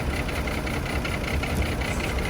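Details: Chevy Trailblazer with a rough idle and an irregular stumble; pulling a coil changes nothing, so that cylinder is already dead. Misfire on cylinders 3 and 5; cause suspected, not confirmed.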